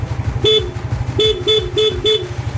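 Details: Yamaha Mio GT scooter after cleaning its electrical switches with sandpaper and WD-40: five short, clear honks over a steady idle, horn crisp and strong each press; repaired horn working.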